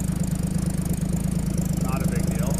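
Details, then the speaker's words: 1950 Chevy truck stovebolt six after new gaskets, plugs and valve adjustment, heard outside at the exhaust: even, steady low thump at idle, no misses or puffing ticks, no real smoke; healthy and settled. "Even sounds better out here. No real smoke to speak of."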